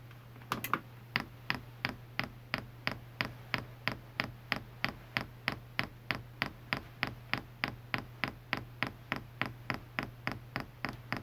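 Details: All-in-one Chinese diesel heater, aftermarket "quiet" fuel pump (replaced original) in prime mode, tested outside plastic sound-deadening case, not frame-mounted: sharp even clicks about three per second over faint mains hum, normal dosing pump pulsing.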